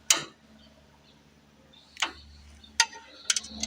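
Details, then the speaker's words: 1970s 20 kW generator that fires then dies: several sharp, uneven clicks over a faint hum as the fuel solenoid opens under power, fuel flowing from the regulator but owner thinks not enough; fuel solenoid valve clicking. "You'll hear a clicking from the solenoid when that happens."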